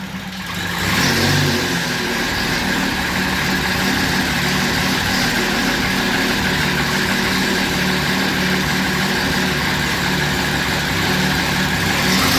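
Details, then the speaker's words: 2010 Camaro with swapped Turbo Vortec 4200 inline-six, first-ever start, run briefly with no coolant: fires at once and holds a smooth, steady note through light revving with no knocks or misses; sounds healthy. "all right no coolant don't want to run it too long that sounds good"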